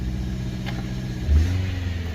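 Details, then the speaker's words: 2013 Subaru, before exhaust replacement: deep, loud, rough exhaust rumble that swells with a quick throttle blip and when put in gear; exhaust leak from a blown exhaust gasket. "it running good but let me put her in gear and you'll hear it that's right you see a little loud"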